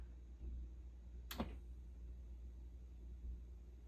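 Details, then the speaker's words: Fender Hot Rod Deluxe tube amp after a Fromel mod, first power-up off standby: only a soft, steady low hum with one brief chirp; the amp idles quietly and normally. "Hey, not a lot of noise. This is looking good."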